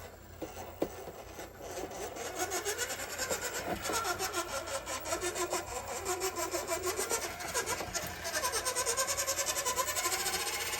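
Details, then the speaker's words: Axial SCX24 1/24 RC crawler with Van Go body, climbing obstacle under load: harsh raspy grinding pulsing about three times a second, sounds really bad; owner suspects gear mesh way too tight. "Wow, that sounds really bad. Okay, we're gonna call it right there."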